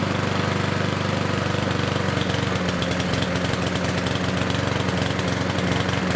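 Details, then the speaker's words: Yard Machines lawnmower with Power Mower engine: loud, slightly uneven note that stays low and won't clear to full speed; running rich from an air filter impregnated with oil and fuel, possibly after tipping, though not visibly dirty. "besides you just saw it's the air filter even though it's not super dirty with dirt and debris it is still not letting the air flow go through the reason for that is because it's impregnated with oil and fuel"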